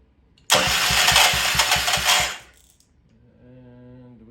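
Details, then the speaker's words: Old Troy-Bilt Pony rototiller with carb cleaner, throttle slow: about two seconds of quick rhythmic cranking chugs, never catches; owner suspects stiff choke linkage, though choke found already fully closed. "maybe this thing sounds terrible fast start stop slow choke o that might be part of the problem"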